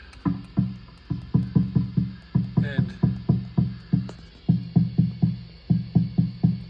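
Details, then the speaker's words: National HRO-500 receiver, HF oscillator at 9 MHz heard on an SDR in narrowband FM: each light straw tap on the tuning capacitor gives a loud low thump with short ringing hum, about three a second; capacitor badly microphonic, possibly needs tightening, and breaks synch lock. "hear how bad that is so this capacitor is extremely microphonic I'm not sure why but maybe it needs tightened or something"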